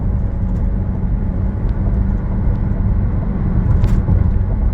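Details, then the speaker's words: Recorded while driving: low droning hum under road noise that grows with speed, first suspected as a wheel bearing or tires but found to be a bad rear differential (transfer case also faulty). "So I'm going to give an attempt at listening for this wheel bearing here. You can see it increases noise with speed."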